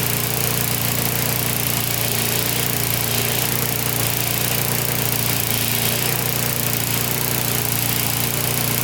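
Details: Older Briggs & Stratton 3.5–4.5 hp mower engine with carb on metal tank, after carburetor diaphragm replacement and cleaning: fast, buzzy single-cylinder drone at constant speed with no misses or surging. Steady and healthy.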